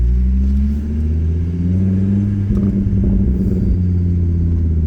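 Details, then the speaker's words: Volvo V70R P2 after new belt, tensioner, used 50,000-mile alternator and rebuilt Bosch steering pump, driving: low smooth engine and road rumble with the former whine gone; normal belt drive, no whine. "So it got a little bit better, but it was still very annoying. Now it's completely, like, it's great because you can just drive quietly, see?"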